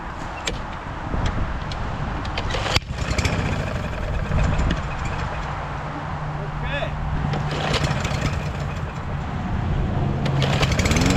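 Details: Walk-behind lawn mower with swapped engine and new carburetor: steady single-cylinder drone slightly slow and soft at full throttle; governed engine speed too low, raised by bending the governor tab toward the front.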